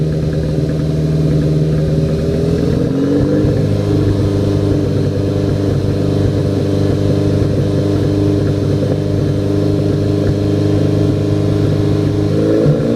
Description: Misfires while stationary under part throttle. APR K04